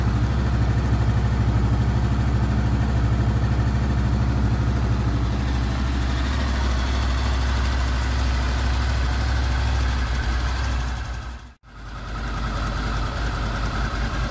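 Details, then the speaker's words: Smooth, even idle of a Honda VFR800 VTEC V4 with 58,200 on the clock, first start after cam chain replacement; no ticking or rattle. "Так у нас первый запуск после замены ГРМ"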